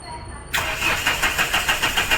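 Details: Mahindra Xylo, cold and sitting for days, fault code P0340, injector wiring: starter cranks evenly at about four strokes per second but never fires while the RPM and temperature gauges jump to maximum; crank, no start.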